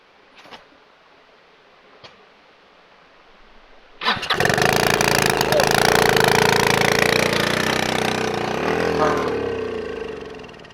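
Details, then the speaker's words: Scooter-engine reverse trike after years sitting, throttle stuck and won't move: after a quiet pause it catches and immediately roars at a high steady speed, not idle, trying to drive off against a concrete block. "okay so not idle that was apparently not Idol speed that was uh that was something other than idle"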